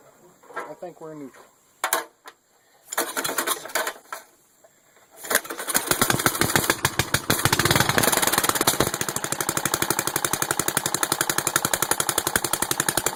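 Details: Small mower after service, topped up to the add mark: cranks, catches after a few tries, then settles into a steady, even single-cylinder chug; runs fine.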